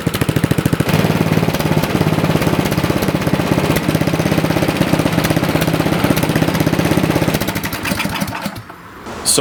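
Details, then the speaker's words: Toro four-cycle snowblower after adjusting the too-lean carburetor mixture screw to cure surging: small single-cylinder engine holds an even, rapid beat with no rise and fall in speed; smooth and steady. "So, I'll start up the machine here, and the surging should be gone."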